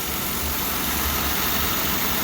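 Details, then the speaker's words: 1938 DeSoto engine idling, all vacuum-controlled with no computer: steady airy hiss from a leak in the vacuum hose feeding the wipers through the firewall. Wipers work when the leak is covered by a finger. "I'm not sure if you can hear that hissing sound but that hissing noise is a vacuum leak and it's in the most convenient spot I'm glad it's out here rather than being in here"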